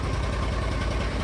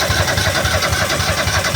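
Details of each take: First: Argo ATV running after the fuses were replaced, with a new carburetor, fresh oil change and new fuel pump; it had failed after sitting all winter: short, even low idle rumble with no misses or knocks. Normal idle. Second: Argo that wouldn't start after sitting all winter: it starts and runs rough and uneven, briefly sagging near the end. It stalls because a bad but not blown fuse cuts power to the fuel solenoid; the fix was replacing the fuse.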